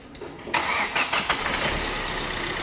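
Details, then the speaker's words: Hyundai Creta diesel after crank and diesel pump timing work: a short crank catches at once into a smooth, even idle with no misfire, rattle or vibration; the check engine light is on from a removed sensor. "एकदम smooth engine आहे म्हणजे आवाज तुम्हाला mobile मध्ये थोडासा जास्त येत असेल इंजनचा कदाचित बघा कुठलही व्हायब्रेशन गाडीमध्ये नाहीये"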